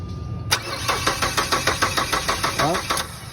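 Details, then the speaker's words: Ford Escape stranded overnight, won't start: starter cranks briskly and evenly for a couple of seconds but never fires, with no fuel delivered; after tapping the fuel pump at the tank it started. "Isa pa walang gas Sige Isa pa OP wala Wal siyang bagtang gas walang bubuga"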